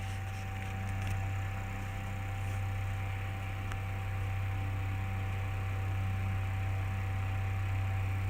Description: This one has a humming sound to it